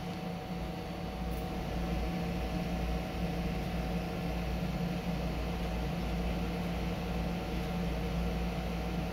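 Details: PC with a Ryzen 3000 CPU on an MSI B450/X470 board, case on its side, after removing the RESET SW jumper: steady, even airy fan whoosh with a low hum, no clicks or rattles. Fans run normally and the board posts.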